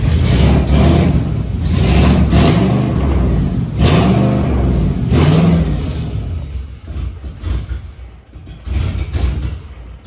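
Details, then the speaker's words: Spec Iron Mustang race car rebuild, just started after keys reprogrammed: engine surges and sags in uneven pulses instead of a smooth idle; runs rough, owner suspects the fuel pump or a sensor, codes not yet checked. "good yeah so hopefully uh we figure out why it's running like that um it's probably a sensor"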